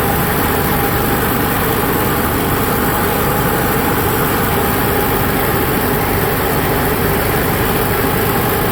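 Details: Onan Cummins HGJAB QG 7000/5500 generator restarted after its float bowl was drained and the fuel pump reprimed: loud, steady, even drone with no misses, knocks or speed changes, idling smoothly with no load.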